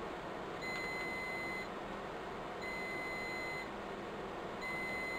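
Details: Riello DVD 2200 2U UPS, 96 V battery pack, during battery replacement: high one-second beeps repeating every two seconds over low hum; battery fault alarm flagging worn-out batteries that need replacing.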